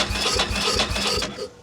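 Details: 2000/2001 Ducati Monster 900, long-sitting, with a new fuel pump and some spark shown on a tester: starter churns in even pulses about four per second for just over a second, then stops with no firing; cranks but won't start.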